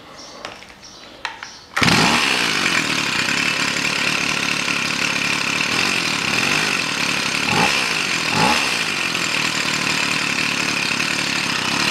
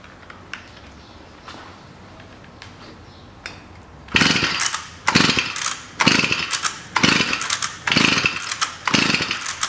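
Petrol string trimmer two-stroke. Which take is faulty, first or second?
second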